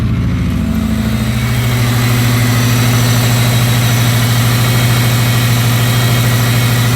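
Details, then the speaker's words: Neglected Subaru Impreza WRX non-runner project after checking oil and water, idling while warming up: steady, even low burble with no misses, knocks or ticks; healthy. "i've checked the oil the water everything seemed fine that really does sound well"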